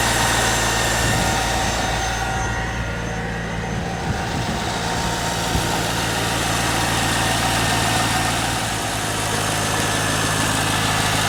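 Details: 1998 Corvette C5 V8 first start after harmonic balancer replacement, engine not run for a while, just started and cold with oil pressure pegged: steady even idle, smooth low rumble, no knocks, ticks or misses; runs cleanly.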